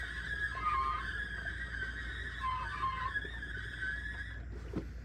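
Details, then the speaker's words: New aftermarket torque converter for a 2001 GMC Sierra 5.3L 4x4 4L60E, spun by hand: wavering high squeal and scraping rising and falling with the spin, unlike the quiet original; converter, not transmission, blamed for the noise. "And that's what I was hearing. So I don't think the problem is the transmission. The problem was the stupid O'Reilly's torque converter they sold me for 200 some bucks."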